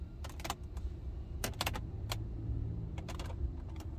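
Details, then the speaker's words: 2020 Toyota Prius Prime interior, dashboard gently pressed by hand: sharp little clicks and creaks in short bursts over a low cabin hum; loose plastic dash trim creaking and rattling. "if you guys can hear these creaks and rattles or like these creeks that's just me gently pressing on the dash"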